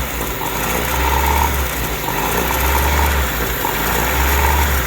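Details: Honda Civic with idle issue, idling: idle rises and falls about every 1.5 seconds, hunting and surging; spraying brake cleaner around the injector and intake changes the idle, confirming a vacuum leak.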